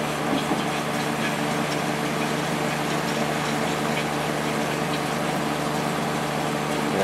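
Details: Late-90s Whirlpool Accudry 40-pint dehumidifier (reciprocating compressor, likely Embraco, Emerson fan motor), running open: steady even compressor and fan hum with soft airy rush, no rattles or cycling; evaporator cold, discharge line almost too hot to touch; running normally.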